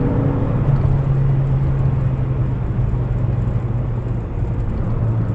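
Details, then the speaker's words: Peugeot 205 XS with 85 hp TU3S engine after a budget rebuild, on a road drive under acceleration; strong, even low drone pulling steadily with road rumble and some rattling, no knocks or misses; a very good, healthy engine. "It is a very good engine."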